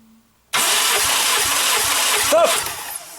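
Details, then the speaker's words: Toyota Corona Premio 7A-FE lean burn with sneezing complaint, cranking with compression gauge: starter spins about two seconds at brisk slightly lumpy beat without starting; cylinder 2 didn't reach pressure in 8 turns vs cylinder 4's 12.5 in 3-4. Low compression in one cylinder. "у нас второй цилиндр такого не набил за 8 оборотов соответственно даже по компрессометр у можно сделать выводы что у нас есть проблема с компрессия во втором цилиндр"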